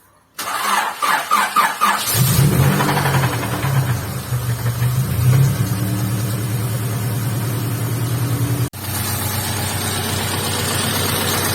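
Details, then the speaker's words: Honda Integra DB8 Type R at cold start: the starter cranks, then a lumpy rhythmic knocking of about four per second at idle, from the head or block; the owner suspects the oil hasn't yet flowed; not confirmed. "like a knocking noise especially when i start it up and i know for a fact that most of the time when you're starting it up um and the the head makes a noise because the oil didn't get enough time to flow uh inside"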